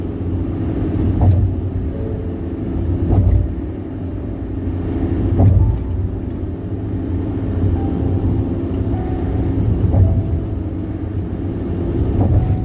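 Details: Loud tire road noise on the Bandung–Jakarta toll road: heavy low droning rumble at highway speed with a soft thump about every two seconds; loud tire roar, cause unknown.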